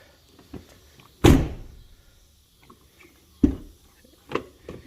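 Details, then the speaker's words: 2014 Ford F250 Platinum front driver door, after fitting a replacement striker 9L3Z1522008A (2009–2014 F-150 part): a few soft, dull thunks with no metallic slam or rattle. The door now latches quietly, which is normal. "it just you know doesn't sound like a work truck door slamming anymore"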